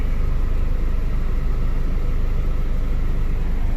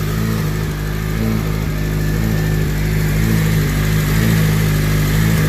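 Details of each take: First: Freshly prepared K20 engine (75,000 miles) idling after its first start before install; a steady low rumble with an even, settled beat and no knocks or misses. A normal idle. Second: Freshly prepared K20 engine at its first start before install, on a low battery, idling erratically with a low drone and an uneven pulse about once a second; cooling/AC fans kick on unexpectedly. Owner suspects an ECU reflash is needed.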